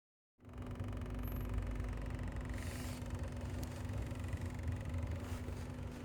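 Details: 2011 Kia Soul 5-speed petrol idling: heavy uneven low rumble with steady droning hum; started suddenly, muffler pipe and engine seen shaking, mounts checked and look fine; cause unknown.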